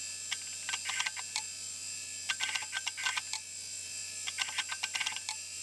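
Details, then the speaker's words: Old hard drive on Bluesky, not recognised: sharp irregular clicks in bursts of three or four over thin steady whine; owner feels heavy vibration while spinning, suspects the bearings. Hard drive clunking. "When it's spinning, there's a lot of vibration coming from the drive, and that's not from the seeking, that's just from the bearings. I think something's going on in there."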